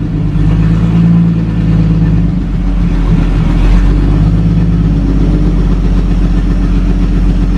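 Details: 1937 Talbot saloon 3.2-litre six-cylinder, first run since 1976 with fuel system temporarily bypassed: steady, even low rumble, regular beat, no knocks or misses; runs a little smoky, oil pressure about 40 at idle, 50 with revs.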